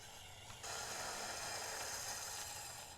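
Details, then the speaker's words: Thin, high whir with a gritty rasp while a customized Alco FA1 model locomotive with two mid-80s pancake drives gets power but barely moves, a traction issue. Owner suspects a broken or split gear inside. "huh that's really strange it's getting power just fine but it seems to have a little bit of a traction issue huh it's kind of funny too cuz uh it doesn't look like it's meant to have Traction tires so I don't know if maybe we've got a broken gear inside here"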